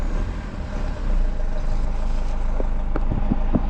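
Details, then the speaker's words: 2007 BMW 520d E60, M47 diesel, restarted after stalling in drive: low rumble swells then hunts unevenly instead of settling; rough idle from an EGR valve fault, with a boost pressure sensor error stored. "And now it's in the gear. So almost the engine died. Neutral drive and it died."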